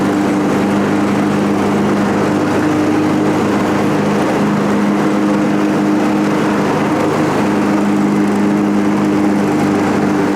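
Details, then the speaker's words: John Deere 445 mower that had been backfiring and running poorly, after tune-up and coolant top-up, with blades engaged: steady even drone, no surging or stumbling under load; wouldn't idle before, now running healthy. "Probably hear the difference. It wasn't even idle before."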